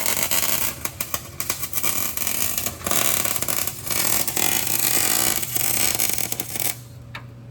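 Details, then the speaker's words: MIG welding a rotted 2008 Ford F-150 frame hidden under duct tape and undercoating: uneven stop-start crackling hiss that sounds hollow rather than like frying bacon; arc not taking well on the cooked frame metal, cause unconfirmed. "I mean, You know, normal welding sounds like you're frying up some bacon. This sounds like a hollow hiss slash frying bacon."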